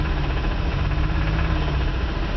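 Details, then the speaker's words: 1984 Oldsmobile Cutlass Ciera convertible engine with burned crankshaft and rod bearings, idling at slow yard-drive speed: low steady rumble with faint regular rod knock; knocking stops when put in gear to slow down; needs engine rebuild. "That little noise. That's a rod knock for you. So if put it in gear to slow it down, stop the knocking."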